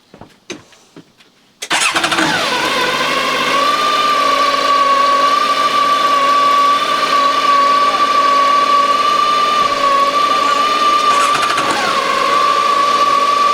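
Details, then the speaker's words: 2006 Yamaha SR210 boat, twin 110 hp four-stroke engines, freshly serviced with new spark plugs and oil change: engine catches quickly and settles to a smooth even idle with a steady whine, no misses or knocks; healthy running. "$85 they sound like they're brand new. I put new spark plugs in them. I changed the oil."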